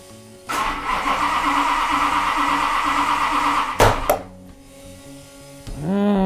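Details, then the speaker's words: Max Wedge Mopar V8 on a dyno with spark, air and compression confirmed: steady starter cranking then a sharp backfire pop mid-crank; no start, blamed on the faulty distributor, to be swapped for a regular one. "um why we have spark we have air we have compression there's no reason oh what's the backfire this stupid distributor"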